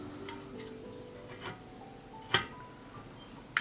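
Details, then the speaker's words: Repaired 3-way hurricane lamp switch: few crisp separate clicks about a second apart stepping through bottom bulb, top bulb, then both; switch works properly, lamp fixed. "just the one at the bottom two one on the top and three the two together yes fix the limp"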